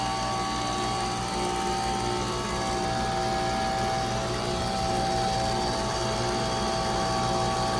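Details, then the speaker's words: 2024 Bryant heat pump with a brand new Emerson Copeland scroll compressor, replacing a dead LG unit that short cycled: steady, even hum and low drone with no knocks or cycling. Running normally. "It's working really good. It's not short cycling anymore. Pressure sounds nice. Listen to that Copland Scroll roar."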